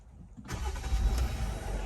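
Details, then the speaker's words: 2019 Jeep JL Wrangler Rubicon with an intermittent no-start, after repairs including a new starter and both batteries replaced: a quick crank, then the engine catches cleanly and settles into a steady low idle. Normal start. "all right as we can see everything started up no problems no issues"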